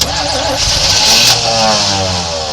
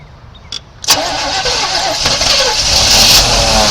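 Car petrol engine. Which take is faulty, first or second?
second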